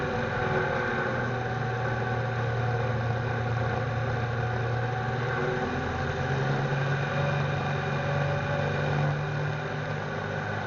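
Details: REO M35 deuce-and-a-half, 331 CI Gold Comet engine, warm day, driving: low laboring drone that never climbs or pulls hard, flat and down on power; blown head gasket leaking oil into front cylinders, worse when warm.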